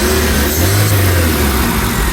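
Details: 2008 Suzuki Liana with replaced engine, still warming with some smoke: engine picks up cleanly on a quick blip and settles back smoothly, no chain rattle or knock; normal revving.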